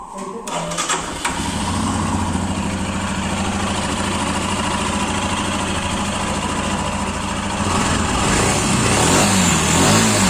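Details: Royal Enfield Himalayan single, running after fitting a new genuine timing chain tensioner (adjuster) in place of the failed one: it fires after a few cranks, holds a steady even idle thump and revs cleanly, with no chain rattle. Normal running.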